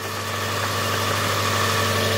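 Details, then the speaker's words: Car, just got running, at idle: steady light, quick, even ticking over the top that does not change; normal valve noise, engine sounds healthy. "is oh then that's just your valves it's normal it sounds good"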